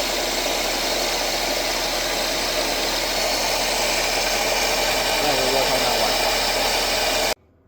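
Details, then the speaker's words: 1999 Nissan Altima, engine running with customer complaint of engine noise: steady rough grinding hiss, suspected as the alternator going out (worn bearing); alternator to be replaced and bench tested. "So we came, you know, tested it out and it seems that the alternator could be is going out."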